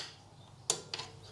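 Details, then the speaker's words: 2016 Ford Focus 1.5 TDCi rear drum brake adjustment: two crisp metallic clicks a quarter second apart as the spring-loaded plate snaps into the angled teeth of the toothed adjuster wheel, turned one way only; normal ratchet clicking. "now there you will see a plate which rests against it a spring pulls it in and the teeth are angled so it will only let you to turn it one way"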